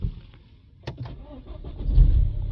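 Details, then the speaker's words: BMW 320d after a DPF clean following turbo failure, with a new cam chain fitted: quiet, slow cranking for about two seconds, then it catches into a rough idle. Hard starting, with a new camshaft sensor signal fault logged. "Oh, now we've got a new fault, camshaft sensor signal. I did hear it struggled a little bit to start"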